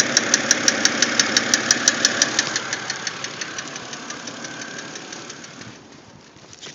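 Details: BMW X3 engine noise: sharp, even ticking about three times a second over a faint engine hum, fading after a few seconds. Engine ticking, source not pinned down.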